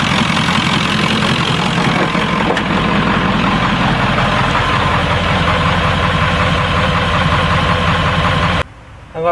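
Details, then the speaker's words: 1996 Ford F-350 7.3L Powerstroke diesel, test start after the electronic fuel conversion replacing the stock mechanical lift pump; steady, smooth idle clatter with no misses; no leaks, normal idle. "we're test starting our 96 f-350 7.3 liter Powerstroke diesel after electronic fuel conversion"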